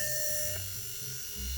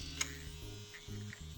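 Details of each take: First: Mac 800K floppy drive M0131 eject mechanism after gear repair, three gears fitted in a row: small motor spins up with a clean steady high whine and even gear hum, no grinding; gear train runs freely, high reduction for torque. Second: Mac 800K floppy drive M0131 during ejection-mechanism repair with a replacement gear fitted: short uneven whirring bursts that stall and restart; small eject motor labouring against a binding gear train, first gear suspected, axle possibly dirty.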